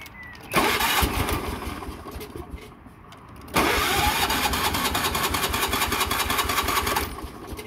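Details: Wheel Horse tractor small engine: catches, runs briefly and fades, then fires again into an uneven, hunting beat, with stalling and a loud backfire; carburettor problems are causing the stalling.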